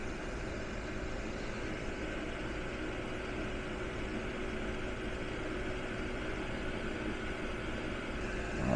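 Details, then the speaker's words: Modspioneers 24V DC 11000 BTU RV rooftop air conditioner, compressor back on after lowering temperature setpoint, drawing about 245-257 W: quiet steady low hum with even hiss, no knocks or rattles; running smoothly, quiet enough for sleeping. "Yeah, so pretty quiet, pretty low power draw, you know, while you would be sleeping."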